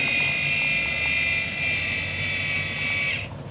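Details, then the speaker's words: Electronic ball valve (gray water dump valve) in a Ram Promaster 3500 Extended van: power on, even high-pitched motor whine for about three seconds as it opens, stops abruptly; power off, it rolls back closed; normal operation. "Turn it on. You can hear it opening up. That's open. And turn power off. And rolls back"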